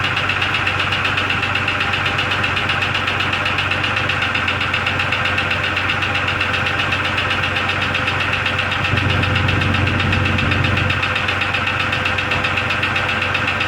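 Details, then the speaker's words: 2002 Jeep Grand Cherokee Laredo idling in cold weather after PCV valve, hose and brake booster check valve replacement. It runs better, but a fast, even light ping/tick about four per second remains. The owner suspects an engine knock of unknown source. "you'll be able to hear the ping ping ping sound but it is running better after uh after replacing the pvc valve and the that hose going over"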